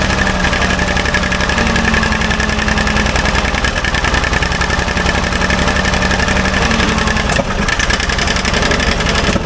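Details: Old Ford loader backhoe, long unused, uneven idle with frequent irregular pops and spits; mechanic suspects it isn't getting full gas flow, as a fuel line connection leaks gas badly; cause not confirmed.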